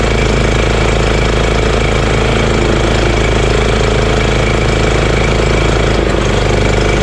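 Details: EZGO Workhorse golf cart with Honda GX340 single-cylinder: idle turned down low, loud even thump with no misses or knocks, though still engaging the belt. Normal idle.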